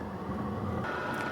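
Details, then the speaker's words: Sunster TB10 Pro toolbox diesel heater a few minutes after start: low steady hum, then a higher whirring note steps in and holds as the outlet fan speeds up while warming; normal. "The outlet fan is starting to increase. It's been only a few minutes."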